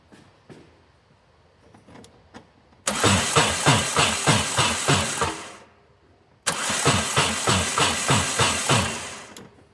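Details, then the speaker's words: Peugeot 205 XR, out of storage for years, cranked with the spark plugs removed: two cranking bursts with an even, rapid chuffing beat of about three per second and a heavy clunk in each; internal engine damage suspected, cause unconfirmed. "certainly making a strange noise what do you reckon this might be place your bets now"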